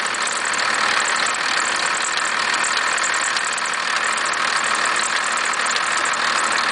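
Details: 1991.5 First Gen Cummins 12-valve diesel at cold idle, about -10, with slight squealing: harsh clatter with an uneven rattling knock over the injection clatter. The owner cannot locate the source.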